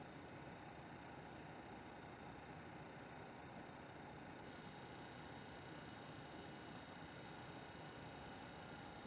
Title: PS4 Pro buzzing rattling noise (coil whine?) (Geräusch summen fiepsen surren)